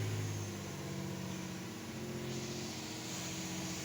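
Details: 2008 Infiniti G35 V6 after fixing a cylinder 4 misfire (P0304) and clearing codes: steady, even idle after start, smooth firing, no stumble or miss.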